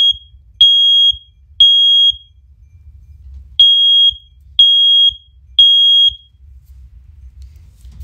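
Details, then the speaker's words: First Alert OneLink hardwired smoke alarm on test: loud, clean high-pitched beeps about once per second in groups with a pause; still works. "yeah see it still works just fine"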